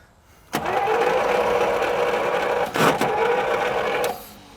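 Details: 1937 Buick Special straight-eight, neglected for decades, given fuel by hand and cranked for about three and a half seconds with an even starter whirr that never fires. Possibly not enough fuel. Crank, no start.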